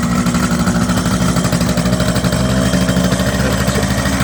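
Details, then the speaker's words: 1978 Kawasaki KH400 two-stroke triple, first start after long storage: ragged, uneven idle with stumbling beat instead of a smooth triple, one cylinder dead; middle plug first suspected, blocked main jet found. "oh so at this point we realized it's only running on two cylinders so some tinkering was needed"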